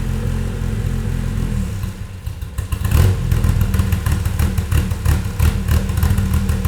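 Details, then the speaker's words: Toyota 2.7L 1AR-FE in MR2 Spyder on Haltech Elite 1500, 280° cams, coolant warm, intake cam advanced 30°: deep lumpy idle turning choppy and loping with uneven pulses; too much valve overlap. "there it is so you can you can hear quite a bit of overlap already that was a bit too much overlap apparently"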